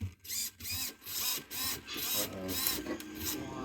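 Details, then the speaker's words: Pro Boat Aerotrooper 25" brushless RC fan boat, almost new servo during a servo swap: short uneven stuttering whirr bursts about twice a second, glitching instead of moving smoothly; owner unsure whether the ESC causes it. "I could feel it glitching in here I don't know if that's the uh I don't know if it's because ESC doing that or you hear it it's all glitchy like an old one would be"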